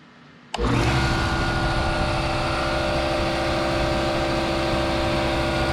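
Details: New air compressor (rated 15.5 A) powered up on a newly installed 240 V 30 A basement circuit: motor kicks on instantly and holds a steady, even hum with constant pump drone; running normally.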